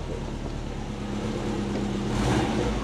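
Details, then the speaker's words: Subaru Forester SF5 after auto-to-manual conversion, once the base fuel map was reloaded: engine note climbs smoothly under a free rev with no stumble, pop or backfire. Clean free revving. "so she's running a lot better I'll start her up and you can just hear that it's so much better so much better"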